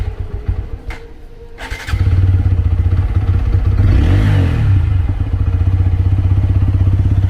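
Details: TVS Apache RTR 160 4V, about 12,986 km, first start after six months unused: cranks briefly, catches at once and settles into a steady even thump about four beats a second; normal start and idle.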